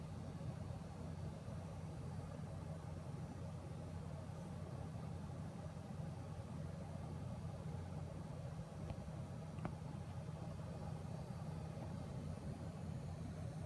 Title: Buzzing noise MSI 1080 GTX Gaming X